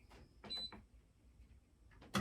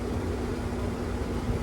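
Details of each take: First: Y'all hear that vibrating? The window unit sitting there doing like this, sometimes it's way louder than that. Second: Window AC unit after cleaning and removing a dirt dauber nest from the fan blade, which had caused it to vibrate: steady, even fan rush and low hum with no wobble or rattle. Normal running.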